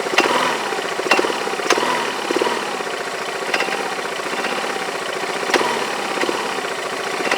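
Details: Yamaha Majesty scooter idling on the lift with the parking brake on: irregular sharp metal-on-metal clanks about every half second over a steady hum, from the drive side. The owner suspects the CVT clutch, is unsure whether it is normal, and plans to inspect the clutch and shaft.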